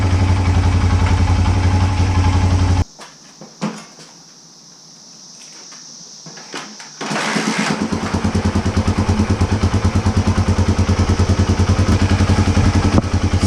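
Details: 1980 Honda XL250S that had been stalling, wouldn't idle and wouldn't start: after replacing old fuel with fresh gas, it starts on the first kick and settles into a steady single-cylinder beat. Bad fuel was the cause.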